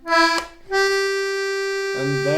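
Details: Accordion, fifth button on the outside row, played on the push bellows movement: the held note sounds thin and off in character from a blocked reed.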